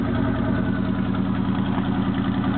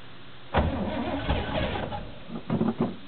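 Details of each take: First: 1977 Chevy K10 carbureted 4bbl 350 V8 cold start at 8°F: steady, low, even cold idle through quiet Thrush mufflers; owner notes an exhaust leak and a possible occasional miss. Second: 1977 Chevy K10 350 V8 with 4bbl carb, dead cold at 8°F in neutral, choke inoperative after an intake swap. Cranks, catches, stumbles and stalls, then refires into a lumpy uneven idle. Hard cold start, rough idle.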